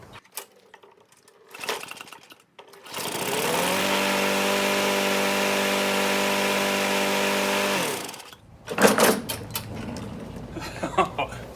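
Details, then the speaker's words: Older Craftsman push mower, Briggs & Stratton engine with the carb built into the metal tank, after a carb clean and reconnecting the throttle linkage spring, primed: smooth, steady buzz for about five seconds, no misses or surging. "awesome so it is it is good to go"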